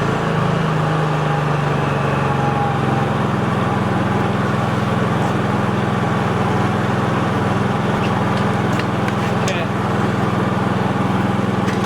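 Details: Dad's Honda 3000 generator after service, with the electronic piece plugged back in: holds a steady, even drone with no surging or hunting and runs cleanly without choke; healthy.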